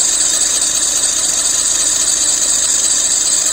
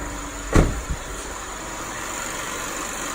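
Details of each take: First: 2007 Lexus IS250 under the hood at idle: shrill continuous squeal, pulsing unevenly in loudness, quieting with lubricant; tensioner and pulleys checked fine, serpentine belt found dried and cracked, replacing it solved it. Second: 2007 Lexus IS250 after replacing a dried, cracked serpentine belt that caused loud knocking and squeaking; tensioner and pulleys were fine: after one brief thump, idle runs smooth and steady with no squeal or chirp; normal idle.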